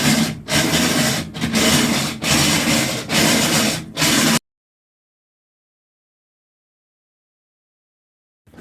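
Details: Brand new GE washing machine: harsh grinding in bursts about once a second, will not agitate or wash; noise returned minutes after replacing one part.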